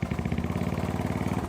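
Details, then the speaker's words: Honda GL Max before repair, rough engine noise: fast, even, coarse rattling clatter over the idle beat; loose cam chain whose timing had jumped about two teeth, valves luckily not bent. "Dan untuk suara memang sedikit kasar dia untuk bagian sentriknya ini. Setelah saya periksa ternyata untuk bagian topnya sudah bergeser."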